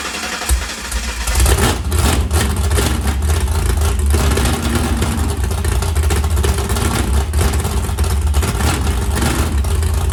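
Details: 769hp 409ci Ford 351 Cleveland on engine run stand, starter on bracket without bell housing after grinding starter engagement: catches after a second, settles into steady deep rumble with light blips, no grinding or knocking; good oil pressure.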